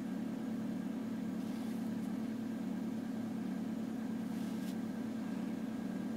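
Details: 1993 Toyota Corolla, cold engine: steady idle with a constant low droning buzz over the engine note, a vibration noise heard only when cold; source unknown.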